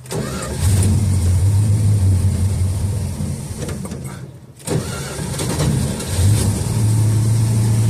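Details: 1969 Dodge Dart that sat 6 months with 10% ethanol gas, with a stuck needle and seat and a dry bowl. After correcting a misplaced fuel hose that was pumping air, it gives uneven starter churning, a brief stumble, then catches and runs steadily: normal start.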